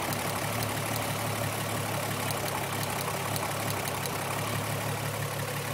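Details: Idle is rough and uneven, with an irregular stumble in the beat, consistent with a misfire. The misfire persists after a new coil pack, plug and injectors and ohm-testing the wires.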